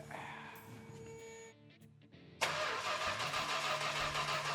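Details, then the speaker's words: Petty Blue Plymouth Superbird, 440 V-code, untouched and not run since the 1970s, not yet primed with fuel: quick, even, regular starter cranking, engine spins freely without dragging. "boy that sounds good I think we're going to be cruising down the highway what do you think it does crank over"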